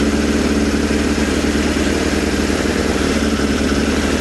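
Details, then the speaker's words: Suzuki Bandit 600 four-cylinder after carburettor work, running with a little choke: lumpy, uneven idle with stumbles, seemingly firing on three cylinders. Owner suspects one particular cylinder and pulls plug caps to check; cause not confirmed. "It doesn't like running without a choke, does it? That's a little bit of choke, but you can hear it coughing, spluttering again. So, that's what's making me think it might be that one."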